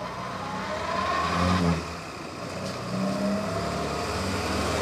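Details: Morris Minor after fitting a new distributor cap, rotor arm and cables to fix its ignition problems, warming up: the revs pick up and settle with even firing and no misfire or stumble, so it is running properly now.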